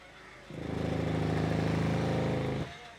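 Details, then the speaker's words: Mahindra Verito diesel, as the clutch is released in reverse with brake on: fast rattle for about two seconds. "ഈ ഒരു വണ്ടിയുടെ പ്രശ്നം എന്ന് വെച്ചാൽ reverse gear ഇടുമ്പോഴേക്കും ബർ എന്ന് പറഞ്ഞു ശബ്ദം"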